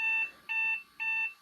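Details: 1993 Compaq Contura 4/25 notebook powering on after leaking capacitors in its power supply were replaced. Three short high-pitched beeps, evenly spaced about half a second apart, at power-on; a startup warning code, cause not known.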